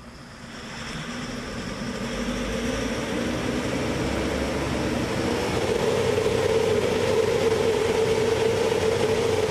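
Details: 1412 BS6 diesel truck that would not rev past a limit, with codes P0403-00 and P042E-00 and a stuck EGR valve, after soot-mass reset and fault codes cleared: it climbs smoothly from idle to a strong, steady high-rev drone. Smoke from soot leaking; new silencer pipe fitted.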